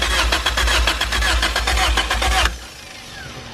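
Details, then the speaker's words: Honda EF with a test OBD0 PR4 ECU swapped in: fast regular cranking for about two and a half seconds with no firing; injectors pulse and fuel can be smelled, but there is no spark. "yeah so you see we don't have spark now on this ECU"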